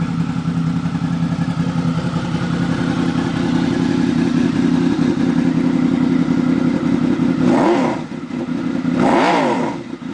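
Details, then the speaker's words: 2003 Honda VFR800 Interceptor V4 motorcycle, cold start with no warm-up; even steady idle, smooth low rumble, a couple of quick throttle blips near the end; sounds healthy. "all right I hope that that was a cold start no warm up he the engine and again you can hear the pipes"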